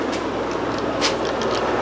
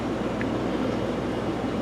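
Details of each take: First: Old Fluval FX5 aquarium canister filter before cleaning: loud, steady rushing and gurgling with no letup as it draws in air past a cracked canister gasket. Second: Fluval FX5 canister filter after reassembly; a cracked O-ring had let air be sucked in. Only a faint steady hum with no gurgling or rattle. It is running quietly and normally.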